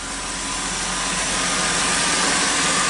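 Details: 2002 Chrysler Sebring 2.7 V6 after alternator replacement, started on a low battery: even steady idle with no alternator whine as heard before, no battery light, voltage now good; engine sounds normal.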